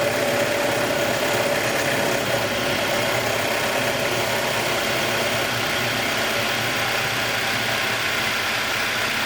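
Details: 2021 Jeep Wrangler 2.0 petrol engine after cold start, having finished a ticking phase of about 90 seconds: it settles into an even, steady idle with a soft intake hiss and no ticking.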